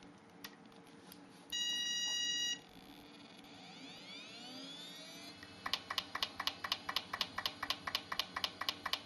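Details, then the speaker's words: Western Digital Quantum hard drive powered on: after a few beeps, sharp clicks and banging repeat about four per second as the heads knock back and forth; failing drive, motherboard failure possible but not confirmed. "how much you can hear you can hear it out there clicking and banging away"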